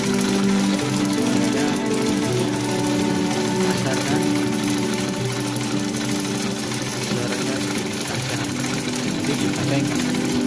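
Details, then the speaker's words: Sewing machine, run without fabric, gives a fast, uneven mechanical chatter harsher than a smooth hum. The owner suspects the gears are dragging and running unevenly; after removing and oiling them, the noise is no longer loud. "Nah, saya curiga di area gigi sini suaranya yang sepertinya keras. Jadinya gigi jalannya tidak lancar, jadi suaranya kurang halus."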